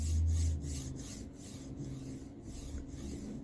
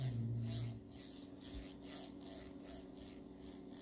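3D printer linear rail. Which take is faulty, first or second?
second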